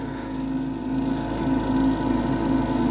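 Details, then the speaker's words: Old Lennox pulse-combustion furnace on a no-heat service call, now running: constant rumbling roar with faint rapid ticking of the spark plug igniter firing over it; normal pulse combustion firing. "and that constant noise there that's actually the the spark plug getting getting spark and and firing"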